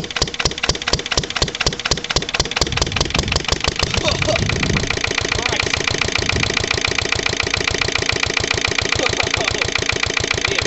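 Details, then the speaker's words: Lister LD1 single-cylinder diesel on a chilly 5–6° morning after a fuel filter change and bleed: thuds unevenly and labours under load as if about to stall, smoking, then settles steadier. Rough running; owner suspects a fuel system fault. "all that created a bit of a um a bit of a smoke screen that anyway s clearly isn't right with the old"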